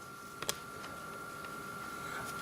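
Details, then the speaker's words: Time switch powered up: steady faint motor hum with a couple of sharp clicks, no grinding, as the motor winds up its spring, which takes a while; winding normally. "after a while she'll wind itself up and be ready to go"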